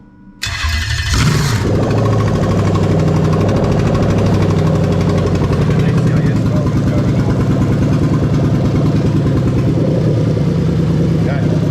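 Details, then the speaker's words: Lexus LS430 3UZ-FE VVT-i V8 on open headers with a brand-new test engine harness: starter whirr, then quick catch and a strong, even, lumpy idle; no check engine light; normal start and idle. "all right so we've got no check engine light the leds have gone off but they're checking to live walk it all running nicely"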